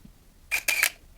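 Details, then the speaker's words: Nikon F801 (N8008) 1988 film camera. A crisp shutter snap followed right away by a short, high motor whir winding the film on. Normal shutter and film advance. "И вот этот звук, он означает, что мало того, что был сделан кадр, за это время еще и перемоталась пленка."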